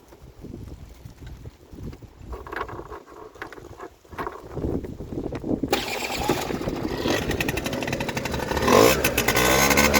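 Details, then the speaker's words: PGO PMX50 two-stroke scooter won't start unless gas is sprayed in; several weak cranks, then it catches and revs rough and uneven. Lots of oil and gas from the exhaust on starting; vacuum petcock replaced with a manual one, fuel delivery uncertain. "it will not start unless I bottle feed it so I have to spray gas in there just to start it and let's see if it'll start"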